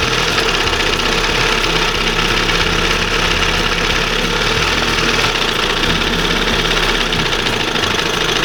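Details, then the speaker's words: 1971 Johnson 20 HP outboard after switching back to an old-school carburetor, with its side adjustment set: steady, even two-stroke idle, not revving high, smooth with no hunting. Normal idle, though a slight slump remains. "So, she's almost back. That's That to me, that's the way it should be idling. Not revving real high. Nice smooth."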